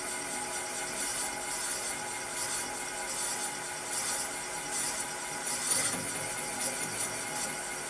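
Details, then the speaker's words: Valve seat cutter chattering on a stock LS1 cylinder head (spare heads off a drift car) during seat cutting with added lube; rough, uneven scraping rattle as the cutter bounces, seat looking good but not yet down to spec. "can hear that chatter and I wonder how much of that she's got a pretty good seat"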